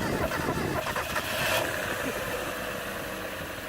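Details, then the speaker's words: 1996 Mazda Miata Special Edition after tightening up and priming the fuel rail: catches and settles into an even, steady idle with no stumbling or misfire; normal startup and idle. "That is a normal Miata startup."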